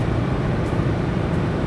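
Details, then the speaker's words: 2016 Subaru Crosstrek, manual mode, cruising at 80 mph at 3600 rpm on a snowy road trip: steady deep drone at high revs under road rumble, no knocks or surging; normal highway cruise. "and at 80 M an hour we're running 3600 RPM so it is revving up there at 80"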